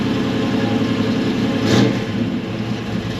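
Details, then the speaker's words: 1964 Chevelle drag car at idle with one quick throttle blip: steady, even V8 rumble that settles straight back. Starts well; temperature and oil pressure good, but it runs terrible on test passes after recent changes; fuel filter clean. Suspected secondary carburetor circuit problem, since idle uses only the primary. "The whole pressure's good. temperature is good, oil pressure is good, it sounds great"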